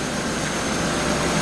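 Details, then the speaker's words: 2001 Pontiac after rebuild, warming up at idle: smooth even hum with no knocks, ticks or misses; engine sounds good. "system so cars running it sounds good"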